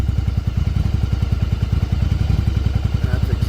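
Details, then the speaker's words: 1994 Yamaha Virago 750 V-twin chopper, after fixing vacuum leak that made it run up to 3000 rpm after warming: even, deep thumping, idling smoothly around 1000 rpm. "now you can see she's idling right around the Thousand like she should"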